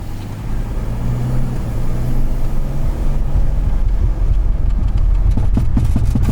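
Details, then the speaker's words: Volkswagen Touareg (7L) driving at 30 mph on throttle: heavy low rumble then rapid irregular banging underneath; the driveshaft center carrier bearing has completely disintegrated. "that's at 30 miles an hour yep giving it gas and it just smacks everything under there"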